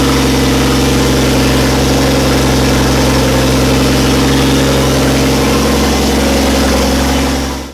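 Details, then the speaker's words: Toyota Landcruiser with Barra T (turbo straight-six) swap, first start after fresh Nulon 5W40 oil and new filter, turbo oil feed confirmed: steady, even idle with smooth low rumble, no knocks or misses; normal idle. "so fired up well for the first time we're just going to fire it up again and check that the throttle pedal's working"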